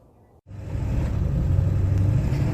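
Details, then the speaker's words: 7.3 Powerstroke diesel after injector shimming work, with an injector possibly left unplugged: low, uneven, lumpy rumble and the truck visibly shaking, misfiring with a check-engine light on; it ran fine before the work. "let's see if you can hear the truck how rough it's running it has been there's literally shaking right now and yeah it's actually shaking"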